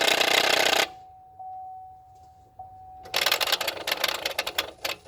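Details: Chevy GM 1500 truck with 5.3L V8 running: rapid, uneven clicking chatter from the throttle body; gasket involved in the fix.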